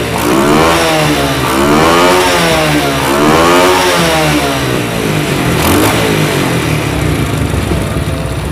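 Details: Motorcycle after a dead spark plug was repaired and refitted: crisp repeated blips rising and falling smoothly with the throttle, firing evenly with no stumbles; runs healthy.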